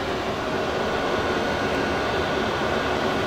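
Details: Diesel heater in a skoolie bus, fed from a tapped fuel tank, on its first burn as it warms up: steady even rush of air with a smooth fan roar and no pulsing or surging, blowing strongly at full output.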